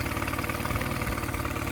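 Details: Mercury 9.9 outboard bought used for £120, which had not run, back after 8-9 weeks of repair with parts from abroad; test run: even, quick pulsing idle with steady low thrum, no misses or rattles; normal healthy idle.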